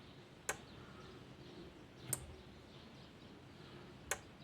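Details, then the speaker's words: Relay in an LDR-controlled AC lamp circuit gives three sharp single clicks at irregular intervals over a quiet background as a hand shades the LDR and the lamp switches; normal relay switching. "तो यहाँ से हम इसको switching करा सकते हैं with the help of this relay. सो ठक ठक आवाज़ भी आप सुन रहे होंगे इस रिले की, ये स्विचिंग एक्शन होती"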